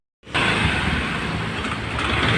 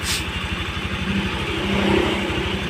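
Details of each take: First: Honda Vario carburetor scooter starts and idles roughly with a loose knocking "klotok" clatter; oil had leaked out causing a burnt smell. The knock comes from very low oil and an idle speed set too low. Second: Honda Vario carburetor scooter, single-cylinder, idles steadily on its own with an even low putter after repair. It had a klotok knock and burnt-oil smell from leaked-out oil, and stalled at idle until oil was restored and the carb idle adjusted.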